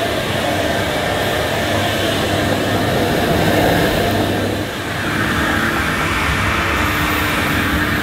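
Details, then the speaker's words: Electrolux 502 upright vacuum, about 40 years old, just unclogged and still needing a new belt, brushes and filters, pushed over carpet; a steady, even roar with no rattles, squeals or grinding: motor and brushroll healthy. "at least the main things the motor and the agitator they sound fine so it's only going to need a bit of a spruce up to get this working almost like new"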